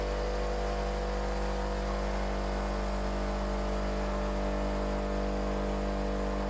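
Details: DIY air compressor converted to vacuum pump, now with 12 V DPDT relays and a vacuum switch that cuts it off at pressure (about 25 inHg): steady low hum, even mechanical pulse about once a second, no knocks or rattles; normal running.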